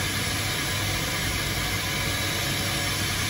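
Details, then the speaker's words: Corporate jet right-hand TFE731 engine after repair of a start-abort fault: even, steady rushing roar as starter engages, fuel and ignition come on, engine lights and runs up cleanly with no surging, pops or bangs; normal cool start. "starters disengaged igniters are disengaged nice cool start"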